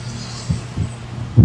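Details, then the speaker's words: Kevler GX7000 integrated amplifier: both channels give deep, smeared, breaking-up sound with no clean detail; bypassing the tone control restores normal sound, distortion traced to the tone-control section. "Basag yung tunog niya oh. Basag ' ba? Hagrak [tawanan] isang channel tapos itong isa ganun din."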